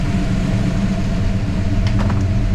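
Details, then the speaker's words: 1963 Ford Fairlane tribute build V8 at idle, first run with new custom exhaust and newly installed accessory drive brackets with spacer-mounted groove pulley and 92-inch belt: deep, steady burble with even beat and slight exhaust pop; running right, normal idle. "And it's running right. And it's running right. Good, that looks good. I'm happy with that."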